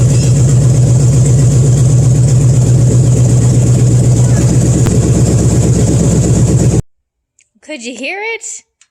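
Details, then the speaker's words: Small-block 350 V8 stored under a tarp for 20 years, swapped into a Cadillac and converted from TBI to a rebuilt carburetor, first start: deep, even rumble with a firm regular beat. Running normally; light smoke likely fresh manifold paint. "it seems like we don't have any leaks there's a bit of smoke we think is just the paint on the manifolds burning because I painted them recently the belt stayed on"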